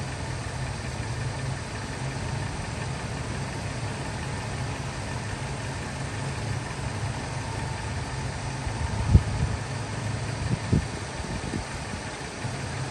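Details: 2000 Ford F250 with 5.4 2V V8, on a freezing day after IAC valve and throttle body cleaning: a steady, even idle with a low smooth rumble and no misses or knocks, apart from a couple of brief bumps; running great.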